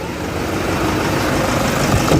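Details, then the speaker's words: Toyota Fortuner 1KD-FTV D4D diesel idling after repair with AC on: steady smooth low clatter, belt and bearing noise gone after tensioner assembly work. "Yung typing na ano, inibit natin yung tensioner assembly. So far okay na siya, wala nang ingay."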